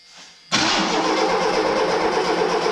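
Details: 1983 Mustang GLX convertible just after fuel pump replacement, fuel reaching carburetor: starter kicks in abruptly and grinds steadily but the engine never fires; battery then drained. Crank, no start; cause unconfirmed.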